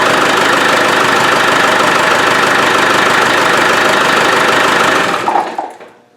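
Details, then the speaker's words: Land Rover 300Tdi after pump replacement, intake pipe off: steady even diesel idle clatter with intake noise, no squeal, more responsive, then switched off; squeak fixed. "let's see if it starts oh see got intake noise cuz I haven't got the got the PIP you see it's a lot more responsive so really we killed two birds one stone we got the pump done and that bow no more"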